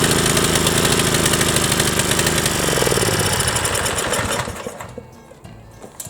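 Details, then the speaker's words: Briggs & Stratton 7.75 Ready Start mower engine whose governor tab had been bent; screams at a high, hard-revving pitch with rapid clatter far above governed speed, then winds down: broken governor. "real crap you don't so we're gonna pull the motor off we're gonna pull the oil pan off and we're gonna look inside and you're gonna see that the governor is all busted inside"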